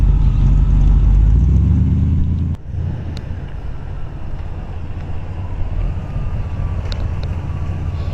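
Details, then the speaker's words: 1940 Ford Deluxe Woody Wagon with Smitty mufflers: a brief rev, then it settles into a low, soft, even, quiet idle burble with no misses or knocks; a normal idle. "You'll see the Smitty mufflers, gives it that nice retro rod feel, sound. But it's super quiet when it's idling."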